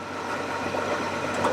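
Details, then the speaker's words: US Forest Service Ford Highboy survivor truck with a new engine: soft, even hum with no knocks or misses; idles very quietly and smoothly, running well. "Oh, yes. Look how quiet it is."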